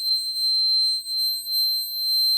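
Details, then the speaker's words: Vintage laptop running Windows 98: a loud, shrill, unbroken high-pitched tone holds steady; owner suspects a board fault, cause unknown. "devo devo spegnere il suono. Vi prego, fatemi spegnere il suono, divento sordo, vi prego."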